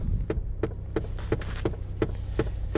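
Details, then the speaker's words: Long-parked dusty car, engine idling: sharp, regular clicks about three per second from a blend door actuator that will not stop, skipping or hunting for position, over a steady low idle. "i can get that blind door actuator stop i i don't want to have to listen to that the whole time"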